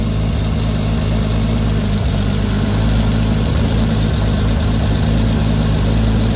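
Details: Lexus IS300 with a swapped 2JZ-GTE on a Fueltech FT550 ECU and a base tune, first start-up, idling: steady, even idle with a constant low drone and no skips, knocks or hunting; healthy.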